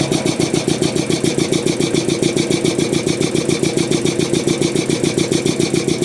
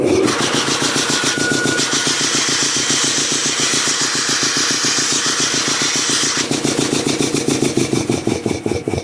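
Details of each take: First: Restored DeVilbiss 445 air compressor on electric motor, speed checked with tachometer: even, tightly regular piston thumping about three and a half beats a second, no knocks; running too fast, owner wants a pulley for about 350 rpm. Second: Restored old DeVilbiss 445 air compressor with new high-pressure manifold: steady slow piston chuff around three to four beats a second, roughly 450 rpm, airy hiss; pumping air normally.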